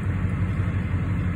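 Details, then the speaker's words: 2006-07 Duramax LBZ diesel in a Chevrolet truck, just started cold at about 70°F with a fresh oil change only 340 miles old: programmed high idle at about 700 rpm versus about 500 normally. Steady deep rumble, smooth with no knocks or misses. "but yeah your truck will idle at a higher RPM normally it's at about four to five hundred with the high idle turned off I think it's about right at 500."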